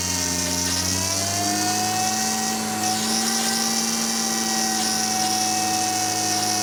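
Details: 2002 Acura TL-S after replacing a leaking high-pressure power steering line, bleeding air with the engine held near 2,000 rpm while turning lock to lock: a loud, steady whine whose pitch climbs with revs, from aerated fluid making the pump moan.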